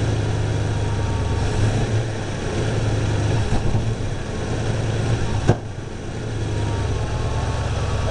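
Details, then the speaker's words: Carbureted V8 with timing advanced to just over 15 degrees, vacuum advance disconnected, plug gaps cut from .050 to .045. Steady rumble that stumbles under light throttle with a sharp exhaust pop. Part-throttle hesitation and exhaust backfire, cause unclear; owner thinks more timing may be needed. "got that hesitation I still got a backfire through the exhaust a little"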